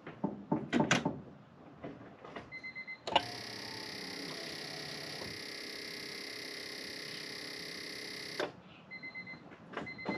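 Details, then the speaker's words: Ignition on in accessory position, engine off, after earlier work on the boost solenoid: steady electric buzz for about five seconds then stops; owner suspects the boost solenoid, possibly its power source. "i hear that something buzzing i think it's my bus solenoid hmm i don't like that"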